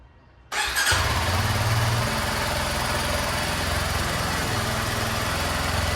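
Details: Indian-model Kawasaki KLX 230 in a water-glass vibration test: it starts first try and settles into a steady, even single-cylinder thump with no knocks or rattles, a normal smooth idle with little vibration and the water not spilling.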